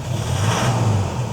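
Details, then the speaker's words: Toyota Hilux diesel after rebuild with new injectors, following injector (pilot) learning done about 10 times per injector at 3000 rpm: steady low rumble, smooth even beat, knocking gone; running clean. "So now it's a very smooth, there's no more knocking, and that's it."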